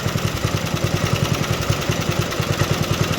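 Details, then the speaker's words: Vintage MTD ride-on mower single-cylinder engine: ragged, stumbling thumps at fast idle as carb bowl runs dry; fuel starvation before stall. "Death stroke's coming up. She's running out of fuel."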